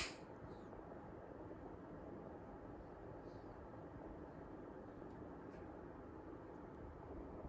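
Steady, even airy whoosh with no ticks, rattles or pitch wobble; the indoor fan is running smoothly and sounds healthy.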